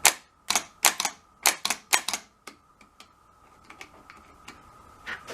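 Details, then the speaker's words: 2001 Ford Escape no-start, cheap aftermarket starter replaced about two years earlier: quick bursts of dry clicks and faint hum with no cranking; solenoid engages but the starter motor won't spin, so the owner concludes the starter has failed again (grounding possibly also questioned). "but this was kicking in but it was not spinning but now it's not doing it so I think we got another bad starter here unfortunately"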